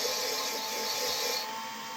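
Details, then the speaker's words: Lapping a valve into a 5.2/5.9 cylinder head with a drill at low speed and grinding compound: a steady, high, gritty hiss whose pitch changes and softens toward the end as the seat laps in. "You'll hear the grinding sound pitch change as you go. You just let that valve grinding compound do its thing."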